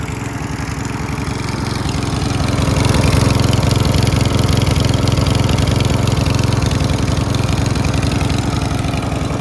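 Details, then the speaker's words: Mountfield RV40 150cc 45cm mower, started first pull: steady low chug about 220 beats a minute, even speed, no hunting or surging, so carb left alone; normal running. "So as you can hear, it started at first time."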